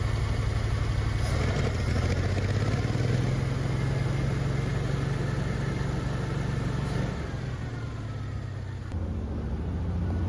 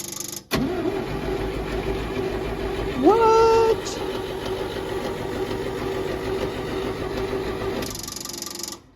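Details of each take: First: Old Champ forklift, unknown year, sat for years, after carburetor cleaning on temporary fuel tank plumbing; steady low idle note with even beat, no stumbles or misses; normal idle. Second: Old Champ forklift, unknown year, sat for years; after fixing fuel pump wiring and ground the pump works, starter grinds the engine over steadily with a brief whine but it never fires; cranking, no start due to no fuel.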